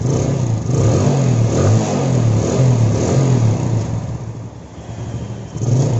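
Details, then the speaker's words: Yamaha Jupiter Z carbureted single after vacuum line fix (previously would not idle, hard starting, black spark plug): low, steady putter now holds idle without stalling or hunting, only slight swells; normal idle after adjusting idle screw. "suaranya langsung beda ya langsung langsam sekarang ya Oke coba kita Steele ini kita cari putaran paling stabil ya my god langsamnya langsung enak ya sekarang ya"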